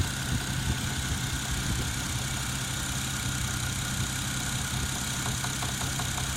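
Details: Toyota 1JZ-GTE engine at steady idle with a light, regular metallic tapping, plainest near the end; engine knock, source not pinned down.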